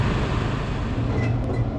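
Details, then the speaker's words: Reach-in bottle cooler condenser fan motor, earlier noisy, runs after repair with tie wraps added: a steady, even low hum with no rattle or scraping, and airflow restored. Normal operation. "as you can see everything is nice and quiet I can actually feel the airflow now which is great"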